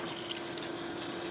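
Soft, steady hiss and trickle of water flowing through the group head with no sputtering or pump strain; the flow sounds normal.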